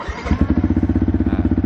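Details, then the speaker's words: Ordinary motorcycle fitted with an aftermarket keyless alarm system, started using only the remote after a single beep. It catches quickly into an even idle of about sixteen beats a second with no misses. It runs normally. "motor akan menyala dan berfungsi normal seperti biasa."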